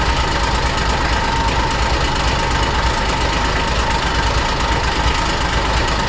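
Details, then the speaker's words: 2001 Kawasaki Mule 2510 diesel at idle, muffler on, cooling system flushed and filled with water: loose, uneven metallic rattle over the diesel clatter that disappears with a little throttle; suspected to come from the CVT drive clutch. "Now this machine rattled really bad at idle. It would go away once you gave it a little bit of throttle, but I wanted to confirm whether or not that was coming from the clutch,"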